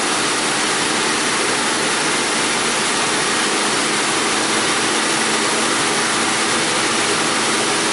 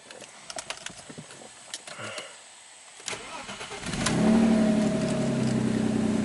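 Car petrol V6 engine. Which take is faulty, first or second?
second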